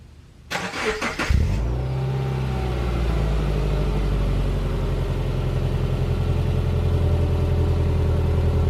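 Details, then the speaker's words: 2010 Subaru Impreza just fitted with welded-in Magnaflow 11366 stainless performance muffler replacing restrictive stock muffler: starter cranks, engine catches into deep, smooth throaty idle; better than stock, normal exhaust note. "I mean doesn't sound - too bad a lot better stock so I don't think contour can complain so yeah I mean it's a lot better than that freaking big blob you know"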